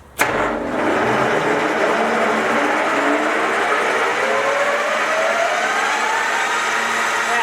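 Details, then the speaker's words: Soviet 1966 Stanko 1a616 lathe in second gear at top spindle speed, about 2200 rpm: gear whine climbs in pitch as the spindle slowly spools up, then holds a smooth, even, heavy hum; normal running at top speed. "wow yeah right it takes a bit of time to spool up and down just kind of dangerous but it's pretty cool this is a very like heavy sounding machine"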